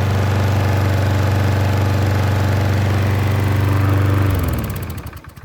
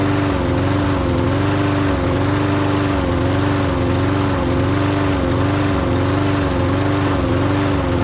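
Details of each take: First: Troy-Bilt self-propelled mower with Briggs engine and key start, after replacing the leaking gasket on the carburetor bowl screw: run 40 minutes, restarted, firm even low chug with no surging even when tilted, then shut off and winds down; normal running. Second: Troy-Bilt self-propelled mower with Briggs engine, restarted after sitting ~20 minutes, starts first pull; tilted back to check self-propel wheels, it half-stalls, pitch dipping and recovering about every 1.5 seconds, runs great set down.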